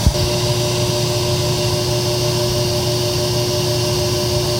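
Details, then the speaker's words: Kenmore electric dryer built by Frigidaire, run on air fluff with a hair dryer heating the blower wheel: a steady loud hum and drone with a whooshing rush grows within about two minutes; the plastic blower wheel gets noisy when warm. "you can hear it's starting to get loud I'm not doing anything but running the motor on air club setting and I'm using my hairdryer to heat up the fan blower wheel and it's getting loud"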